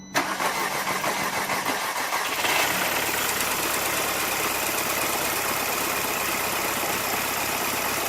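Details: 2006 VW Passat 2.0 turbo that had no compression and would not start because of a snapped timing chain (intake camshaft not turning); after chain replacement it gives a short crank, a quick catch and a steady, even idle with no knocks; normal start.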